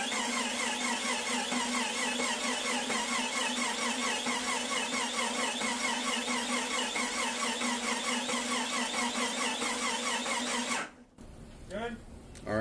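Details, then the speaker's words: Freshly built Jeep 4.0L being cranked over before the fuel pump relay goes in; one cylinder has slightly lower compression. A steady cranking rhythm carries a high squeak on every turn. Suspected starter bearing or alternator, not confirmed. "yeah the only concerning noise I'm hearing is some sort of squeaking noise but that could be the bearing in the starter itself or it could be that alternator it's on that side of the engine"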